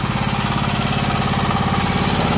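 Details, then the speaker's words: John Deere Sabre riding mower idling shortly after start: light fast tick over each firing beat; hydraulic lifter tick expected to clear after a minute. "that lifter noise should go away we'll give it a minute here"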